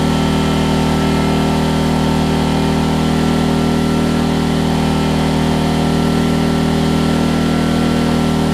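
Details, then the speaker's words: Homelite LR4400 generator after carburetor and kill switch replacement: steady, even single-cylinder drone at constant speed with no misses, surging or knocks; runs really well, though throttle work remains. "It runs really, really good, so that was nice to see."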